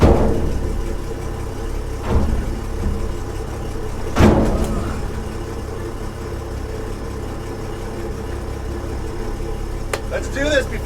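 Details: 1966 Ford F500, barn-stored 20 years: low, steady engine rumble holds on after a few bumps and clatters; the old truck engine runs on its own.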